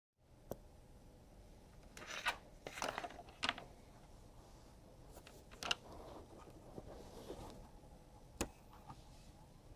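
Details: WD Green desktop hard drive spins up normally but is not detected, then gives short, high, chirpy beeps about twice a second and stops beeping and spinning after about 30 seconds; owner unsure whether it is a stuck head or a failed circuit board.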